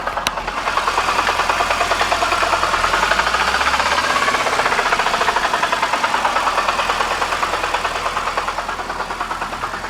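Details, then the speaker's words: BMW E92 325i manual: deep heavy knock about three per second rising with rpm, sounds like rod knock but from seized AC compressor; oil not low, engine not hot. "that noise end sounded like it was coming from the bottom of the engine very very deep and it wasn't a tap or a it wasn't it was a knock"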